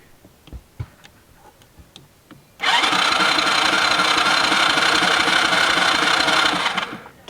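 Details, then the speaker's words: Kids' quad sitting for years: starter spins the engine at a steady fast chug, about four beats a second, but it never catches because there is no spark; ignition later swapped from another quad. Crank, no start. "Okay, we have to figure out this sparking issue."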